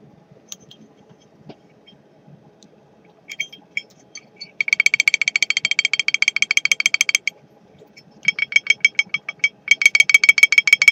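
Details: 80cc GY6 moped engine kit, piston-to-cylinder clearance 7 thou at the top; sharp metallic ticking in bursts over a faint engine hum, found to be a randomly sticking rocker arm slapping the valve rather than piston slap.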